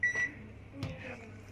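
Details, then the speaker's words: Haier front-load washing machine, about 3 years old: short high-pitched beep pair, then quiet; throws an E2 error immediately in wash and spin and shuts off; cause not yet diagnosed. "An so nag-error kaagad siya ng e2 ito kaagad siya kahit sa wash saka sa spin dry ito agad napapatay"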